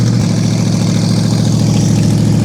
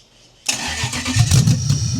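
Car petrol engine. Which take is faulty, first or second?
second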